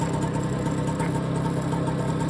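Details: BSA Ariel 3 (K2) two-stroke moped on a test run, checking suspected fuel starvation after carb cleaning, a new fuel line and a relined tank. A smooth, fast, even putter with no misses or bogging; it runs cleanly and the first test is good.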